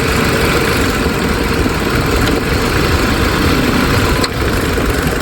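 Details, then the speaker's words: Proton Inspira at rough steady idle while reversing and steering under load, heard by ear at the belt area, louder in the mornings; faint light tak-tak tapping from the alternator one-way (overrunning) clutch pulley. "So bila kita check pakai kita punya a barang doktor ni, kita check dengan pakai telinga, bunyinya memang ah yang apa kita jangkakanlah memang bunyi pada oneway bearing alternator."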